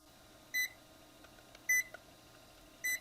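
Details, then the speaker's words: Switching PSU on a power tester: three short high beeps about 1.2 s apart flag a missing 12 V rail until the 4-pin connector is attached, then beeping stops and all outputs read normal. "You see when I connect the four pin the 12 means 12 volts. The positive that was blinking has stopped and you no longer hear the buzzing sound."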